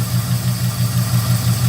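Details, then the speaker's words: 1971 Oldsmobile 98 idling just after restarting with a new HEI module. A steady low idle carries a quick even tap about six a second. Owner suspects lifter tick, possibly driver's side or front near cylinder 2. "So, she's running. Can you hear that lifter tick? I can. Now it seems like it might be coming from the; uh, driver's side."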